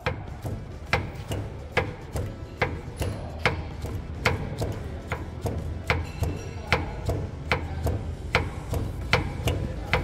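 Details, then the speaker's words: VW Amarok, tyre rocked by hand: sharp metallic clunks about once a second from excessive steering box play, causing vibration, knocks and suspension-like noise; play also moves tyre when box is moved. "fiquei em silêncio para você ouvir a folga e o barulho Entendeu Mexe no pneu pela folga Olha que folga gente"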